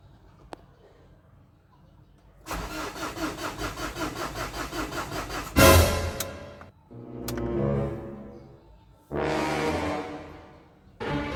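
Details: 2007 Ford Everest Gen 2 common-rail diesel: cranks with a steady rapid chug but never starts; the problem was later fixed, apparently sensor-related.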